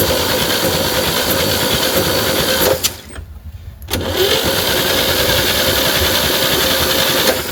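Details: 1960 Chevy C10 with the 235 six, sitting 40 years, cranked via a dummy switch after a starter swap. Steady chugging at about four beats per second; it turns freely but does not fire: normal cranking. A compression test later showed stuck valves.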